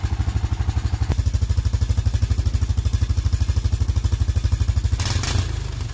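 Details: Honda Foreman ATV that wouldn't stay running, after carb cleaning and rebuild: single-cylinder thumping steadily about three beats a second, then a brief rev near the end; runs smoothly; normal running.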